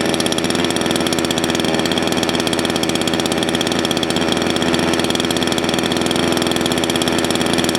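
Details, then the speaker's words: Salem Master chainsaw, low-speed (idle) jet leaned too far: fast, even, buzzing idle held far too high, sounding happy but losing top end; chain creeps at idle when it should be dead stopped, idle mixture too lean. "okay if you noticed when i leaned it out a little too far it sounds like sun's getting really happy but actually it won't have as much top end and you notice the chain started to move"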